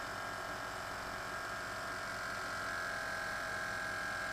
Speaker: Alright, it's coming on. Let's see if it lifts the truck. Yeah, it's lifting it pretty good, so I think, well, that's another good job well done.